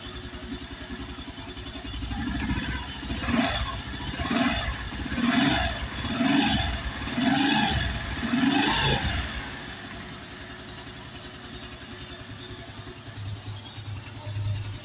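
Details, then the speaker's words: Honda Biz 110i after repair, with valves lapped and the engine reassembled: even throttle blips about once a second, then a quiet, steady idle without hunting; the engine sounds like factory original and idles properly. "Olha só o barulho desse motor, como ficou bonito, pessoal. Olha só. Agora o motor tá com um barulho original de fábrica, pessoal. A lenta aí funcionando direitinho, ó."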